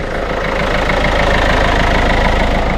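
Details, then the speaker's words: Mini Cooper D Clubman diesel after turbo replacement (turbo not always kicking in, damaged turbine fins) and oil change, overfill drained toward 3.7 L: steady even idle clatter, no knocks, misses or hunting, smooth tickover; engine healthy. "Right, let's start it up. Well, I think that is a success."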